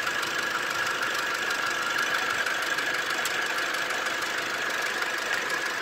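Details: 2012 Toyota Hilux 2.5L (2,494 cc) diesel, manual 4x4 double cabin: steady diesel clatter at even idle, about three beats a second, no misses or knocks; sounds like a healthy idle.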